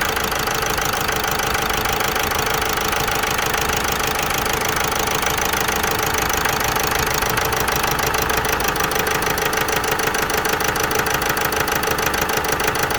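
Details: Vauxhall Meriva 1.6 CDTI diesel at idle: busy, uneven clatter with a regular beat about twice a second, a misfire. Code P0016, crankshaft/intake camshaft position correlation not plausible; cause not confirmed.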